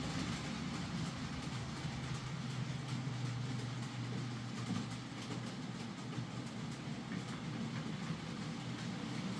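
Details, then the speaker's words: Hornby J15 model loco, bought new about two years ago, slow and noisy since new; after fitting a new motor and regreasing the worm gear, even steady low hum, soft rail clatter, no whine or rattle: running quieter and smoother, normal. "So there we are, that's Stephen's J15 fitted with a new motor and it's running a lot quieter and smoother."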